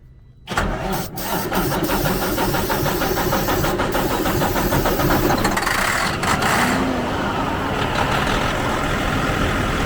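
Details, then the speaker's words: 2004 Freightliner Columbia diesel after starter solenoid repair, cold, started with starting fluid: short crank, then it catches and settles into a steady rough, clattering idle; normal start, oil pressure normal. "It sounds good."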